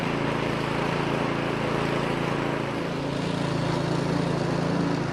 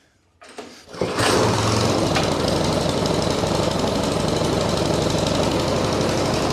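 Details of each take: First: Two-stage snowblower engine that had only run on choke and surged/died in run position, after full disassembly and reassembly; started on choke, runs steady and even at constant speed with no hunting or surging; healthy. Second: Troy-Bilt Storm two-stage snowblower that sat unused: small engine fires up, runs rough on full choke, then surges and hunts unevenly in the run position; carburetor removed.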